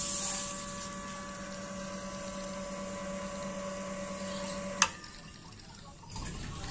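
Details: Hitachi CT P250F jet water pump, over 25 years in use, after replacing the air charger assy for automatic tap-controlled running without a tank: smooth, steady motor hum with a clean even pitch and no rattle before shutting off; normal running.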